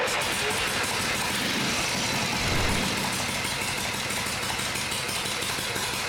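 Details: Vintage Harley Shovelhead V-twin after a full engine and transmission rebuild, new coil and new Dyna fitted, earlier popping and banging on start: now runs steadily with no popping or backfire under wind-like hiss; healthy and even.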